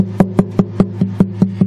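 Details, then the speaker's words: Martin D-28 acoustic guitar after bridge and saddle replacement, before stringing: nine crisp even finger taps ringing cleanly with no buzz or rattle; bridge joint solid, no looseness. "I hear nothing let me tap on the back and listen I don't hear anything so that's a good sign usually I can hear it in a tap test"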